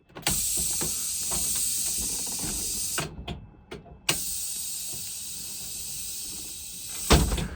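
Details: 2008 International IC RE300 school bus pneumatic door system after repair; long air hisses with clean breaks on each open and close, regulator pressure changing, healthy even operation.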